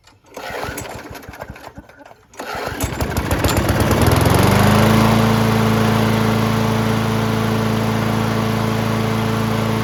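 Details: Yard Machines (MTD) 22" High Wheeler push mower, 4HP Quattro Briggs & Stratton engine, after all found issues corrected: steady, even single-cylinder drone under mowing load, no misses or surging; cuts well, running healthy.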